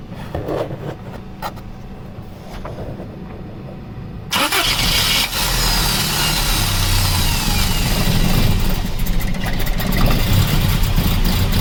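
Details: 1985 Toyota van sitting 11 years, running on a fuel mix with carb cleaner, ATF dripping, apparently from the dipstick tube: quiet cranking, then sudden rough, uneven catch, surging and stumbling; sputtering fuel-starved start, cause suspected, not confirmed.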